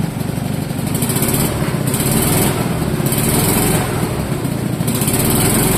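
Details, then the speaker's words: Fiat Jolly 500cc two-cylinder, low compression, fitted with a lawnmower carburetor in place of the faulty factory carb, first real run in several years: steady idle with quick, even putter, no knocks or misses; runs well. "Runs nicely. Well, this was a total success. The car runs pretty darn good, uh especially for being its first real run in several years."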